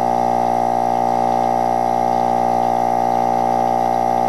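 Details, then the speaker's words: Opened GM hermetic compressor running with mineral oil audibly sloshing inside: a loud, perfectly steady motor hum with an even pulse and no knocks or rattles. Normal compressor running. "as you can hear it's sloshing it around pretty good"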